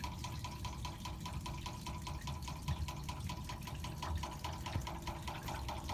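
Quick, steady ticking knocks ride over running water, a rhythmic rattle from the meter while flow passes through it.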